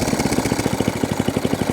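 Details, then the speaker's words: ATCO Balmoral 14S cylinder mower after a new throttle cable and carb leak fix, idling before shutoff: even putt-putt with no misses or hunting, no fuel leaks; normal settled idle. "Still no fuel leaks. And shuts off. I'm over the moon with that."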